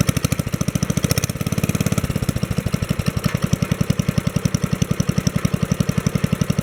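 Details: 1964 Wheel Horse 704 Kohler single-cylinder after fixing rod knock from worn rod and crankshaft (crank still 0.002 in out of round): even, steady putter, no rod knock, lifters tapping, belt flapping against guard; normal idle.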